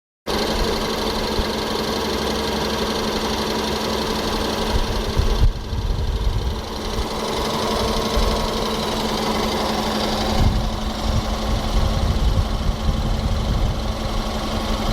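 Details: VW Jetta 1.4 TSI BMY 103 kW at idle: fast light mechanical clatter riding steadily over the engine; loose timing chain suspected, not confirmed.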